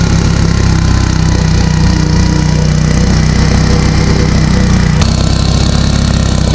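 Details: Abandoned Gravely garden tractor, sat 10 years, fired right up after carburetor cleaned and passages blown out; loud engine stuck flat-out at one constant high speed, no governor, throttle only pulled by cable.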